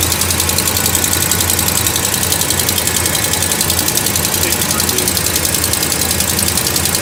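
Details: Dodge Ram Hemi V8 at cold start after sitting about a week: a sharp, fast tick rides on top of the idle from the passenger side of the engine bay. It fades once warm, and the owner wonders whether it is the engine or an exhaust leak.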